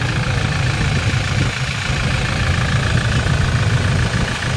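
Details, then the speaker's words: 2020 Toyota Innova 2.8 diesel, restarted after repair: steady deep idle with even low rumble, the earlier scraping noise gone; normal idle after replacing the worn front alternator bearing. "tahimik na tahimik na wala na wala na yung kumpo"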